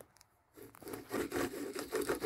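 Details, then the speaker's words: 2008 Jeep Compass with recurring humming noise: gritty, scraping rasp with uneven pulses as the inside wheel bearing is turned by hand. Outer bearing is fine; the worn inner bearing caused the hum. "even though the outside looks good I don't know what it is about the inside bearing this one's all right but the inside bearing you can hear it"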